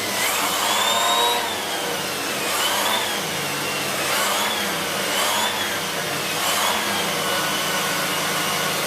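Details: Siemens Z6.0 Power 2500W bagged cylinder vacuum with its mini turbo brush on chair fabric. Steady high airy roar with a faint whirring brush that holds speed under load, spinning quickly without slowing; normal operation.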